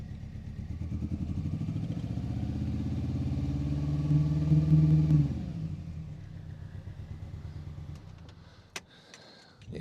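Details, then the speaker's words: Rebuilt Mini Cooper S R53, first start after engine and gearbox reinstalled, run briefly with no coolant: runs unevenly with a lumpy, pulsing beat for about five seconds, then dies; rough running, cause not yet found. "we do have a bit of a running problem now that it's starting so let me quickly start start the car and show you what it's doing"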